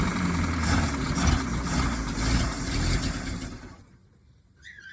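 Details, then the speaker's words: 1951 Packard straight-8 that sat 30+ years, run on 12 V instead of its 6 V after a points wire fix: a low, uneven rumble as it catches and runs a few seconds, then fades. It starts and runs, but the carb and tank need work. "that's a success. So that concludes getting it running."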